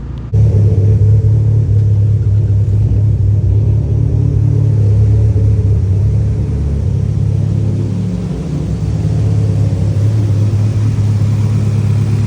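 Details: E85 car just started after a crank-no-start following a fuel pressure regulator replacement: low, smooth rumble with a slight dip and recovery, idle settling evenly; healthy. Fault was a MAP sensor not fully seated.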